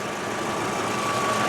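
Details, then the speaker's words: 2000 VW Jetta, 2.0-litre four-cylinder with 212,000 miles: steady, even hum with no knocks or misses; smooth, healthy idle. "does sound like it idles pretty good"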